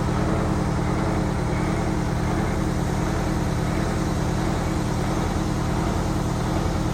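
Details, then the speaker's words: Prevost bus (Marathon conversion) with Detroit 8V92TA DDEC2 diesel, full throttle, no codes, max 15 psi boost: deep steady drone that surges and never builds cleanly; power loss from faulty injectors, fixed by new injectors (22 psi after). "It's really easy to hear that surge. Watch this horrible acceleration. This will be pedal to the floor."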